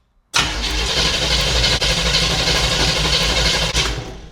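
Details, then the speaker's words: 1975 Chevy Monza 2+2 with a 350 small-block V8, sat 20 years: starter spins the engine strongly and evenly for about three seconds with no firing. Cranks but won't start; later fires on brake cleaner, fuel supply suspected. "Well, since she spins over so good, let's just go ahead and give her a little shot of brake cleaner here and see if she'll fire for us."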